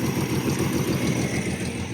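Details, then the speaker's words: Car sat about 17–20 years, first run without radiator, fuel spritzed in: even, steady low-rumble idle with no knock or misfire; runs smoothly, oil pressure 40–42 psi. "Holy shit, it runs. Can't let it run very long."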